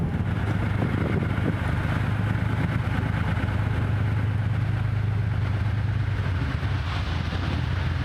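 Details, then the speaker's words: 6th production Lamborghini, V12, on a road test: deep drone with an uneven, lumpy beat, not running on all 12 cylinders; owner suspects an electrical fault on one of the ignition systems. "Uh, I suspect it has an electrical fault on one of the ignition systems."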